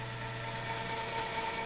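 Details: Sony SL-2410 Betamax VTR fast-forwarding: thin steady squeal over whirring transport, owner suspects it needs belts; not confirmed.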